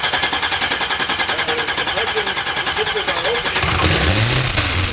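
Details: 1970 Cutlass with a 6.0 LS engine, 4L80E transmission, stage 2 cam and base tune, newly swapped lifters: lumpy cammed V8 idle with a fast steady tick of about three per second; owner says the lifters are loud.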